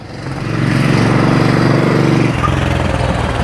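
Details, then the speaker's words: Suzuki Boulevard C50 800cc V-twin on first road test after rebuild and oil and filter change; deep even throb swells as the bike passes and fades, steady firing, no knocks or rattles; runs smooth. "Looking super cool. So sounds good. Thought he would do this one because it was a quicker fix. Definitely smooth drive."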